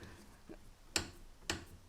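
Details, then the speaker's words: Mercedes SLK32 AMG (R170) during steering link replacement, removed link rocked by hand: sharp clicks about every half second from the really blown-out steering link bushing; washer shim had failed to take up the slack. "And this is the bushing that was actually really, really blown out."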